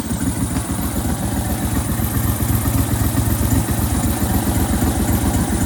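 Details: Brand-new 23hp Briggs & Stratton Vanguard V-twin on a tractor, running after fixing no-spark caused by a spark-control part touching metal; steady, even low thumping at fast idle, no misses or stumbles, normal running.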